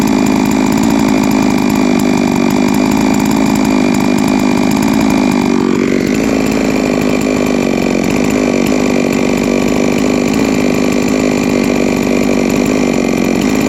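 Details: Three-year-old Huztl-based MS660/066 mill chainsaw, ported 56mm cylinder, after in-field clutch replacement: steady hard buzz, pitch climbing smoothly near six seconds and staying clean and even; runs healthy.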